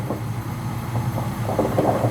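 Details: Old (about 12 years) Whirlpool gas water heater whose pilot wouldn't stay lit, after replacing left-hand-thread thermocouple; steady low burner roar with soft, uneven water bubbling on top; burner lit and running normally, repair fixed.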